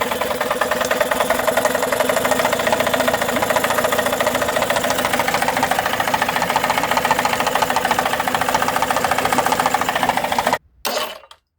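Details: Tohatsu 18hp two-stroke outboard at steady idle with fast, fairly even ticking knock about three or four a second, suggesting an internal knocking fault.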